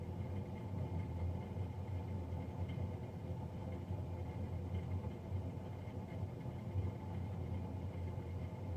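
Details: Navien NCB-240 boiler, serviced Jan 31 2020 and recorded Feb 3 2020: steady, loud, low droning roar with no beat or change, the combustion fan running noisy, cause not yet pinned down.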